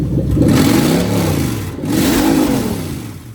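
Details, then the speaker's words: Lexus LS430 3UZ-FE VVT-i (2000-2003) on a new engine harness, drive-by-wire test: pedal pressed twice, engine revs rise smoothly and settle back with no stumble or hesitation; healthy throttle response. "Drive-by wire test, just going to press the pedal and the engine should rev up."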